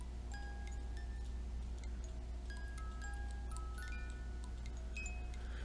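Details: Gummed-up cuckoo clock music box with broken governor, being tweaked: chiming notes uneven and broken over a low steady hum; music box playing incorrectly, owner says not right.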